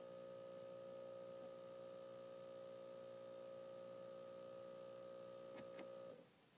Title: convers+ buzzing sound